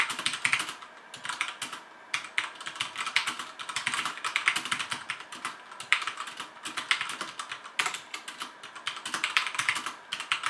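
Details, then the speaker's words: HyperX Alloy FPS Pro mechanical keyboard, Cherry MX Red switches, PBT plastic keycaps, aluminum top plate, typing test: fast uneven bursts of crisp even clacks, no rattle or scratchy keys; sounds healthy. "this sounds pretty good this is cherry mx red switches with pbd plastic keycaps and an aluminum top plate so it's how this keyboard sounds"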